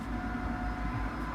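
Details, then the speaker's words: BMW M3 V8 (E90/E92) at idle after both exhaust gaskets at the manifold outlet were replaced and an oil service was done: a deep, smooth, even rumble. The small tac-tac ticking heard at the start is gone; normal idle. "Vous voyez, il n'y a plus le bruit du début. Le petit tac-tac."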